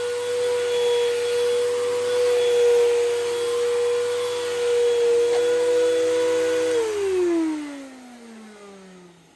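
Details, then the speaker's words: Hoover Elite Rewind Plus vacuum: a loud, steady, high motor whine that slides down in pitch as it spins down. The owner does not know whether the motor is bad or has bad bearings; the cause is unknown. "Yeah, like, you can hear how loud this vacuum is. Like, I don't know if the motor is bad. Like, I don't know if it has bad bearings, but I don't know."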